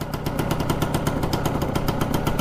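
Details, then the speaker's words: Four-wheeler with stock pipe and baffle, carburetor not yet cleaned: fast, slightly uneven popping idle with visible smoke. Owner suspects it is running a tad rich. "Pretty smoky out here. Might be running a tad rich."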